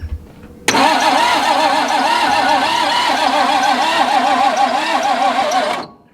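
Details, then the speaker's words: 1961 Ford Falcon abandoned 15 years, first crank attempt with points ignition and suspect coil: steady starter churn at about three or four turns a second with warbling uneven tone, never catching; no spark or no compression, not yet determined. "we have no spark or no compression not sure which at this point does sound a little funny when it's cranking over but should still run i would think then again it is a ford i guess"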